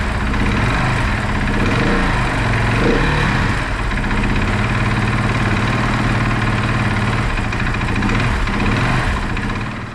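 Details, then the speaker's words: Rebuilt KTM supermoto after the spark plug was blown dry of water: a fast, busy idle that never drops back down; the owners suspect the tank is pinching the throttle cables, which need rerouting. "Okay. Now that it started and you saw that it starts, the idea is that we probably throttled the throttle, because you see it stays revved."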